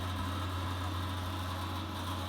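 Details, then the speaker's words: Atlantic dry-element water heater: constant low hum near 100 Hz with drone, from the hot pipe visibly vibrating when the cold tap is partly opened, stops at full flow or after minutes; cause unclear, check valve suspected though replaced six months ago. "Лежит явно вот горячая труба. Я бы не сказал, что это клапан, он даже не дрожит, а вот прям горячая труба дрожит нормально."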